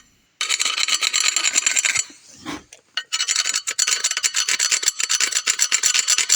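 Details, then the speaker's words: MG Midget front brake rotor, deeply grooved on one side, turned by hand: a rough, gritty rasping in quick repeated strokes. The scored rotor was replaced with a new one. "And to demonstrate just how bad these grooves in this surface are, just listen to this."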